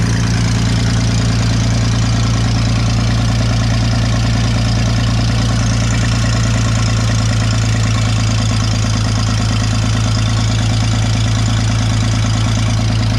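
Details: Vintage Scoopmobile LD5P articulating loader (thought late 1940s–early 1950s), revived after at least 15 years sitting; steady, even low idle throughout, no misses or knocking; runs surprisingly well, hydraulic pump gives lift, antifreeze leaking, hoses rotted.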